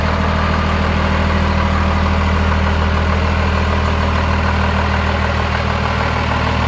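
Deep, steady diesel idle with an even low clatter and no misses or knocks; engine settles and runs smoothly.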